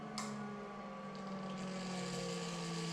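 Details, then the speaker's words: Inkjet printer commissioning, first jet start with high voltage, errors and phasing disabled: click then quiet steady whir with faint hiss; jet starting and return gutter vacuum pulling normally. "when they go ahead and hit the green button at the top here it says start and you'll hear the Jets start up and started cycling starting in 31 seconds"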